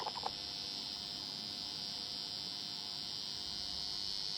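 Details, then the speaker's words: Behringer Eurorack UB1002 mixer feeding valve amps, recorded with the mic near the speaker: constant hiss with a faint buzzing hum. It is the mixer's noise floor, not the valves, and it stops when the mixer is off. "that's the noise floor on the Beringer you know you would have thought that was the valves making that sign if you turn it off it's gone that horrible hum sound is there"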